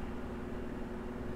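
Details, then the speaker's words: Cheap shop fan after re-oiling dry motor bushings (before: almost seized, rattled then stopped): even steady low hum at different speeds, no squeal, scrape or wobble; motor spins freely, normal running. "I have it plugged in. Beautiful. Quiet. No problem at all. Try a different speed. Yeah, beautiful."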